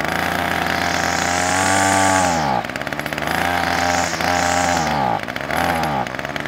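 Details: Titan strimmer multi-tool two-stroke, started on choke, primed, then choke off; revs climb, then sag and stumble instead of holding speed; bogging from worn carburettor diaphragms, fixed with a new diaphragm set.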